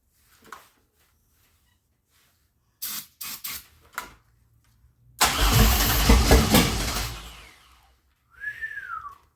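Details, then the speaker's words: 2004 Grand Am with 3800 supercharged engine and 5-speed swap, first start attempts with the intake boot and air filter off, fuel fed directly into the throttle body: the engine turns over for about two seconds with a ragged churn but never catches; the key was not on, so there was no spark. "So close, y'all. So close. No. Alright. The key wasn't even on. No wonder it wasn't trying to spark."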